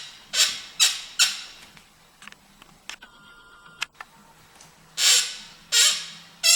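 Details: TSDZ2 mid-drive e-bike motor at 7,678 km (4,770 mi) suddenly creaking; sharp, high-pitched squeaks in bursts with pedal strokes. Disassembly revealed several cracks on the torque sensor causing the sound.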